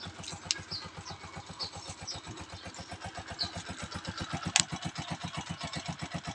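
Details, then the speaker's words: TMX 125 Alpha single, kick-started cold in the early morning without choke: quick, even putter, evenly spaced beats, no misses or knocks; carburetor well tuned, so no hard starting, a healthy idle. "hindi tayo pinapahirapan ng tx Alpha 125 natin guys sa umaga mabilis siyang paandarin guys walang ka- hard start starting na mangyayari diyan"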